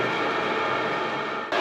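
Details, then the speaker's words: maXpeedingrods 12V 5 kW Chinese diesel heater just switched off, in cooldown: steady airy fan rush, fuel pump stopped ticking, fan turned down, drawing about 5 amps; normal fan-only cooldown. "straight away you can hear it you can hear the fuel pumps kicked off the exhaust is almost gone in temperature the fan is dialed down a little bit but it's definitely running just to start cooling the unit"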